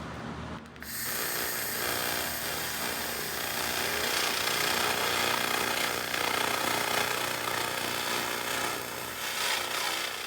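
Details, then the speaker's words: 2000 W continuous-wave laser cleaner on heavily scaled rusty 1985 Toyota 4Runner frame at 30 Hz, most aggressive setting: harsh steady hissing crackle with fast rapid buzz; would etch many surfaces but suits heavy rust. "can hear the difference in the sound of the laser with the 30 Hz frequency setting. This is the most aggressive and would leave etch marks in a lot of surfaces."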